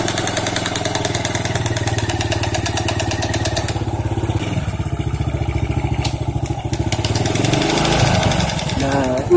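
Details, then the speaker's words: Honda C-series (Grand) motorcycle engine running with a fast hard knocking in time with the engine, from the clutch; a loose bolt hits the clutch when it is operated. "dicek ternyata ini ada satu bot yang kendor ya Jadi pada saat koping ke sini itu kena k kopling ya jadi bunyi"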